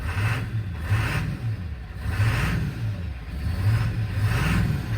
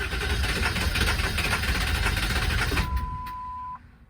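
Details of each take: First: 1999 Ford F250 7.3L Powerstroke diesel just after restarting, following a suspected run-out of fuel. Deep diesel rumble settling into a steady idle with a slight rise and fall in pitch as it stabilizes: normal idle. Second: 1999 Ford F250 7.3L Powerstroke diesel, presumed to have run out of fuel, switched to 12 volts, key cycled until the wait-to-start light goes out. The starter churns about three beats a second without catching, then a chime sounds: cranks, no start.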